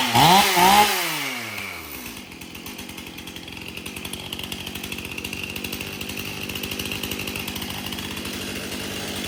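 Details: Stihl MS 271 chainsaw, previously hard to start, after tank found clean and fresh mixed fuel added: quick revs rise and fall, then settles to a steady even two-stroke idle with no misses; runs properly.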